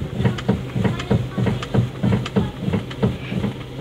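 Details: Toyota Avanza making a strange noise when the steering is turned and clunking on rough roads: dull hollow clunks about three a second over a low hum while the steering is worked, from a worn steering rack bushing.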